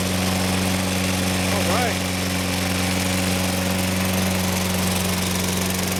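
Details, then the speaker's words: Toro Personal Pace 6.5 GTS mower, Tecumseh single-cylinder engine, running after carburetor cleaning fixed a no-start: clean, steady hum at constant speed, no surging or sputter; normal running. "so propelled out here oh yeah sounds good personal pace run works well going to let this run a while"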